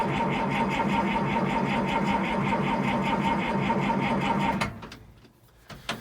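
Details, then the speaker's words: 1955 White (rebadged Oliver 1955) diesel tractor, extra glow then key start: sluggish starter churn about four beats a second for four seconds, stops without firing; too slow to start. "But like I say, I reckon it's just a bit sluggish, and it might not go."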